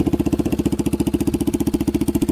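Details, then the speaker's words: Yamaha Warrior 350 quad on a test drive after carburetor cleaning and other fixes: crisp, even firing pulses, steady and smooth, no backfiring or popping, good power and revs out completely; running healthy. "But there's no backfiring. There's no popping. There's good power now. It revs out completely."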